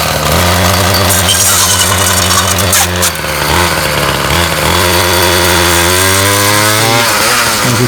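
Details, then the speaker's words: Ryobi 705r 31cc two-stroke line trimmer, trimmer head back on after it broke during 10–15 minutes of brush-cutter use; a loud, steady buzz climbs with throttle, unloaded, with a marble-like rattle, the head freewheeling on a snapped drive cable. "okay listen closely hopefully we're able to hear that kind of rattle kind of like marbles"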